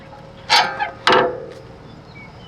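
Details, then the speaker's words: Worn upper control arm ball joint on a lifted Lexus GX470, levered by hand, giving two sharp, dry, creaky squeaks. The ball joint is ripped and loose, and the arms were replaced with aftermarket upper control arms. "that is absolutely toast. Whole ball joint is ripped. And then these things just make a lot of noise. Like, they are super squeaky."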